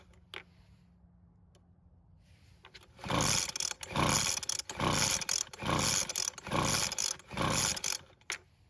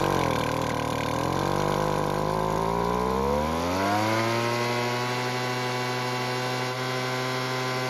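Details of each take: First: Weed Eater two-stroke leaf blower that won't start, pulled on choke: about seven rough recoil pulls a bit over a second apart, each a raspy whirr with no firing; owner guesses it is flooded. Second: Weed Eater leaf blower, small two-stroke, after carb tuning with the L (idle) screw turned out a quarter turn for more fuel: uneven sputter, then revs climb to a steady even buzz; now starts and runs normally.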